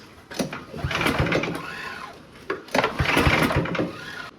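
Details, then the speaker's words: Ariens two-stage snow thrower model 11528, salvage-yard find that sat for years, has compression; two bursts of fast uneven cranking briefly catch but never run, almost starts; no start. "And as far as I know, guys, it's been sitting. It does have compression."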